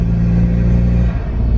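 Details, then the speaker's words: Isuzu Bighorn diesel after bolting in Mambo upgrade turbo replacing worn stock unit, boost test: deep smooth rumble pulling evenly under load, no rattle, surge or scraping; louder with window open near intake; healthy, turbo working. "All sounds healthy, eh? Yeah, it sounds good. It's doing its thing."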